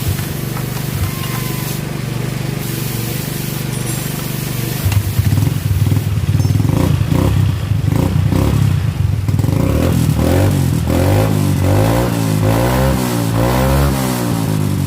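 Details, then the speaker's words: Yamaha Mio M3 (injection scooter) after fixing a slipping kick starter by setting the pinion gear to engage the pulley starter gear: engine catches after a few kicks, then revs up and down cleanly with a steady low beat; normal start and running. "Oke, saya akan coba hidupkan motornya."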